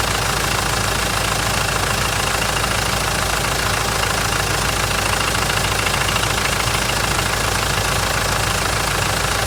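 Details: Mitsubishi 4M41 diesel at cold startup: hard, even knock about two per second over the diesel clatter at idle, cause unknown: engine knocking at cold idle.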